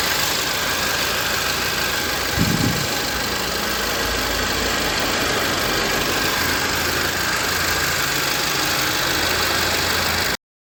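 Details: 2013 VW Fusca (Beetle) TSI after new timing chain kit, idling: steady even idle with a light clean tick, no knock or rattle; earlier engine noise traced to excessive play in the intake cam variator.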